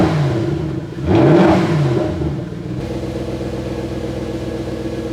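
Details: 1999 Jaguar 4.0 V8 with a crank-no-start, where the starter spun easily with no compression; bore wash appears to be the cause. Compression builds slowly, the engine catches after a rough cranking flare, then settles into a steady, even idle. Normal running.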